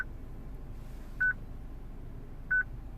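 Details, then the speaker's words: 2006 Citroen C3 petrol, radio on: short mid-high beep about every 1.3 seconds from replaced used radio, which otherwise works; security beep from VIN mismatch, fixed by programming radio. "Okay, I'm sure you can hear it, this constant beep. The radio works. Okay, the radio works fine, but obviously it does that."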